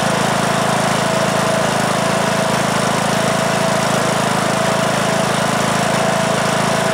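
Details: 2003 Simplicity Regent lawn tractor, Briggs & Stratton single-cylinder engine (date code 03, 19 years old) after years unused in a shed; first start after repair: starts very easily, steady even beat, runs okay but blowing a lot of smoke.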